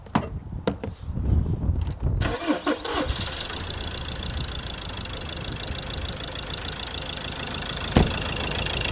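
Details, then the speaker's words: Ford Ranger diesel with a broken engine, started after a replacement injector was tried: cranks, catches and settles into a lumpy uneven idle with a missing beat, running on three cylinders; engine must be pulled. "You can see he's only on three. It's only on three."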